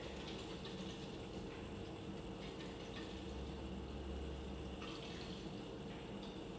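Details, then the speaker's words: Eco King boiler startup after filling system to 1.5 bar, during the five-minute calibration countdown: faint steady pump hum with soft gurgling and trickling water as it de-airs through its cycles; normal. "you can hear the pump running you can hear it D airing just running through its cycles"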